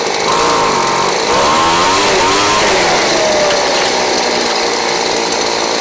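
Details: Craftsman 29cc two-stroke blower, previously missing its spark plug and fuel, fitted with a Chinese aftermarket carb-kit plug: steady high-speed buzz, pitch rising and settling smoothly with throttle, running clean with no misfire.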